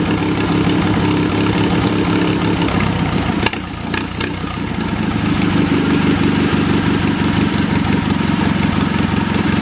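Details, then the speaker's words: Wisconsin THD twin-cylinder engine, after freeing a stuck exhaust valve with oil: steady low beat, about three pulses a second, a bit choppy but firing on both cylinders; normal running. "Despite the stuck valve, I will say it ran pretty good. It's a little bit choppy,"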